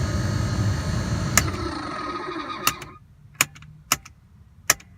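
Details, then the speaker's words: Mercedes W124 blower motor: steady fan rush that cuts out abruptly, then relay-like clicks; it fails in auto and low and works only on high. Suspected faulty voltage regulator (blower regulator). Blower motor cutting out. "that's pretty much about it and throughout that it will just cut off and on off and on off and on"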